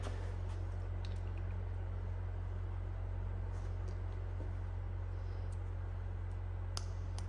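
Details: Case Patriot 3330 sprayer AIM Command boom solenoid, rebuilt after plungers kept sticking, bench-tested at 9 volts: crisp, regular light clicks about three a second over a steady hum; the plunger cycles cleanly, normal.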